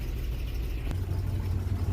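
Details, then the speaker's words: Old EFI car at auction, just fired up cold, probably for the first time that day: short stretch of low, slightly unsteady idle rumble with no knocks, a cold engine idling a bit rough. "all right let's look into the hood it's actually not running too bad considering I just fired it up probably for the first time today"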